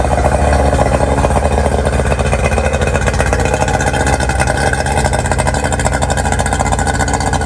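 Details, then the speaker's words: 1999 DuraCraft 1648 bass boat outboard, sat at least six years, after clearing mud dauber nests from under the cowling: steady, even fast idle with no sputter or miss, running better. "go ahead and put these mus back on fire up and see if she ain't running a little bit better"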